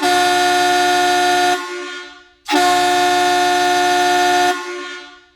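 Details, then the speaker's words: Vintage USA-made Hadley chrome boat air horns after cleaning, driven with enough compressed air: two strong, steady blasts of about 1.5 and 2 seconds, full-toned and cutting off cleanly, measuring 127.5 dB. "Yeah, we're getting 127.5 decibels right there."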